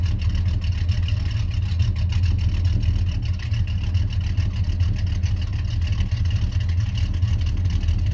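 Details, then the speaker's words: 1991 Chevy Silverado C1500 350 V8 with Summit cam and 650 double-pumper carburetor, idling around 600–650 rpm: deep lumpy low idle with an uneven loping pulse but no popping or misses; normal cammed idle. "but when i put this 650 on a double pumper on it it seems the the the love to be out of a little bit lower so right now it's at 600 650 um rpm but it runs pretty smooth you know it don't pop and it's got a nice sound to it"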